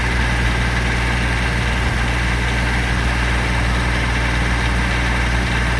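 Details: 2006 Kubota BX23D tractor, D905 three-cylinder diesel, restarted after valve adjustment and valve cover leak check: steady, even low idle clatter with no misses or knocks; settles into a healthy idle.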